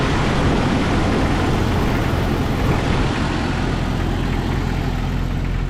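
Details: 1997 Jeep Cherokee XJ 4.0 inline six after radiator and power steering replacement: even steady rumble at idle, no misses, knocks or expected power steering squeal; idling smoothly and healthy.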